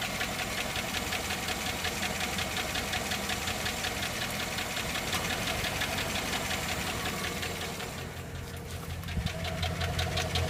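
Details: 2007 GMC running with a steady, sharp, deep internal knock, nearly three per second. The owner wonders whether it is a rod bearing or a valve.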